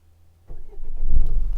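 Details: 2010 Renault Scenic III, no-start with active engine immobiliser and dead instrument cluster: after the authentication code was resent via body control module, card reader and power steering, short crank then it catches and settles into a steady low rumble; normal start.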